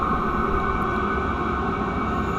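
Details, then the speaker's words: Chinese diesel air heater running hot in a freezing garage: steady, even blower whir at one pitch, no ticking or roughness; fuel pump barely audible; running normally. "i don't even hear the fuel pump i can feel it i can barely hear it though i barely even hear that"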